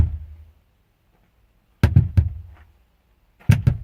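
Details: Radio speaker test: short low thumps in quick clusters of two or three with dead silence between, sound jumping and cutting out, same problem persists with a different speaker connected; speaker popping.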